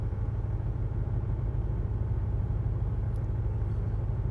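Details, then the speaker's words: Range Rover V8 warm idle on LPG: low, lumpy beat stumbling about three times a second as cylinders eight and four on the driver's (right-hand) side misfire; the owner suspects a loose lead or something more. "cylinder eight is continuously misfiring right there I think is our first problem cylinder number eight is not happy"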